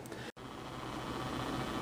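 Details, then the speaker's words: General Electric C-403A antique radio during repair exercises with capacitor C5 in circuit: steady hiss and low buzzing static, caused by a nearby Sony Bloggie Touch camera, absent until the camera is switched on. "right now you're hearing a little bit of buzzing and static believe it or not being caused by my little tiny Sony bloggy Touch camera"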